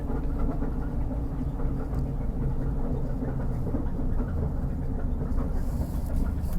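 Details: 2004 Ford Crown Victoria with the rear tire spun: heavy rhythmic low clunking from the rear tire area, repeating with wheel rotation, persisting after front and rear universal joints were replaced; cause unknown.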